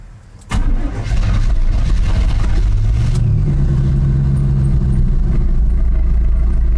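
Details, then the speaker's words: 1989 GMC Sierra 3500 with 350 V8 and HD 400 transmission, runs poorly: after a start it settles into a lumpy idle with an uneven beat that comes and goes, an intermittent miss of unknown cause. "You're idle. you guys can hear that or not. Here it come and go."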